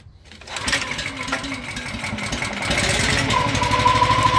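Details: Honda engine on a Titan Hydramax sprayer after cleaning out urethane clogging, new hoses and cylinder work, started with a little choke: brief pull, catches and settles into a steady, even putter that picks up slightly; starts and runs healthy.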